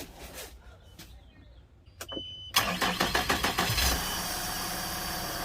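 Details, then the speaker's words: 2021 Regal with Yamaha F150 outboard, tested in water for a no-shift complaint: a few cranking pulses, then smooth, even idle with good telltale; engine starts normally but won't shift. "All right, everything sounds pretty normal. She's peeing good."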